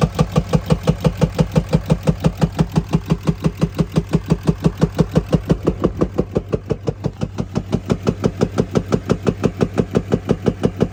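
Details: 2020 RAM 2500 Cummins diesel at steady speed, with black exhaust smoke when revving and misfires: heavy, even knock about three beats a second; engine knock, cause unconfirmed.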